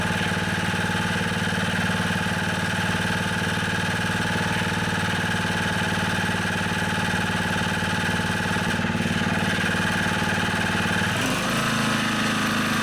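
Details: Honda HR215 lawnmower after cleaning the slow jet and fuel tank to cure surging at low and high speed: steady, even drone holding speed with no hunting or surging, running smoothly.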